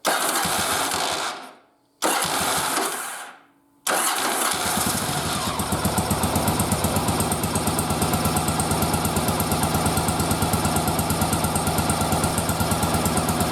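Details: Yamaha XV920 twin with old carburetors, bench synced but not yet running-synced, fired up with manometer attached: cranking bursts, then an uneven, loping idle whose beat isn't steady; carbs out of sync.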